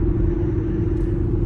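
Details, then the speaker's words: Before sound: loud roar from Cooper Endurance Plus tires, noticed only after a rotation, at highway speed around 55 mph; constant low droning roar with faint steady hum; owner suspects tires, maybe wheel bearings. "So I'm trying to get a before sound. I don't know if it's gonna pick up on the camera or not, just how loud these are,"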